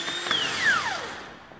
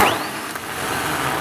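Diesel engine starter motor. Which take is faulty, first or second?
second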